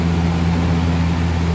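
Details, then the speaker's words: 2000–01 Lasko box fan model 3733 on high speed: steady low drone and strong even hum while the fan shakes heavily but doesn't tip over. Heavy vibration on high. "And here is high again. Shakes like crazy."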